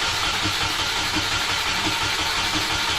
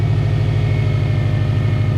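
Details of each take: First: Subaru EJ20 in a 1995 Impreza track car that had been sitting, with newly wired harness: even cranking at about three beats a second, hissy, no firing. The fuel pump seems to run with the key off, as if reversed, so fuel delivery is suspected. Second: EJ20 engine in a caged 1995 Subaru Impreza L track car with a newly hooked-up harness, in neutral, fans running: steady, even low idle with no misses, knocks or ticks; normal idle.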